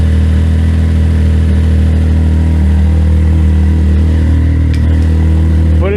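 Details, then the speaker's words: 2019 Can-Am X3 after fitting a 2023 P Drive clutch: steady low engine drone, no slipping, chatter or grinding as drive takes up in low and reverse; engagement instant, cab about 30 decibels quieter. "the engagement is instant it's so much quieter in here it is yeah deible levels down about 30"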